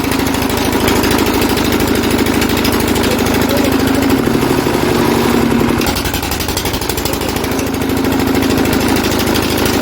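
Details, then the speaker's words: Lister CS Startomatic diesel, self-start attempt by pushing the relay: steady even chug at constant idle, runs only while the relay is held; owners suspect too little current draw keeps the relay from staying in. "wonder if we ain't got enough current draw on that. Right. Because that guy did say if you ain't got enough current draw, that relay won't stay open"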